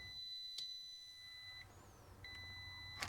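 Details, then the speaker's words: Multimeter beeps in both probe directions on a diode in a Sea-Doo electronic box under potting compound, so the diode is shorted; fix is cutting it out and replacing the diode rather than the whole box. "So, it beeps in both directions, which means that diode is shorted. And that's the problem."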